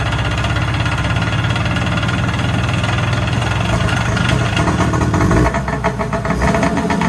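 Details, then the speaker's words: Kawasaki JS440 two-stroke jet ski after replacing crank seals and a bearing, first start with oil in bearings, very smoky: fires right up and settles into steady buzzy idle, even beat, no knocking. "Man, this thing fired right up. That's pretty good."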